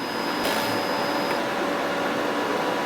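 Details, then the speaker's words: YesWelder MIG-205DS MIG welder wire feed button held during setup, feeding .035 wire through the liner and out the gun tip: steady, smooth feed-motor whir with no grinding or slipping; normal. "you want to push this wire feed button and you're going to hear the wire roll through the machine [Music] this is going to feed the wire through the liner inside and out the gun tip"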